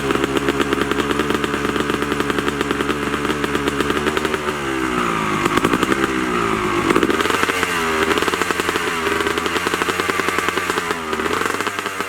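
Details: 2003 Honda CR250R two-stroke after a full top- and bottom-end rebuild with a Lectron carb, Boyesen reed valve and Pro Circuit exhaust, cold start: a crisp rapid crackle idling, then revving cleanly through sharp blips.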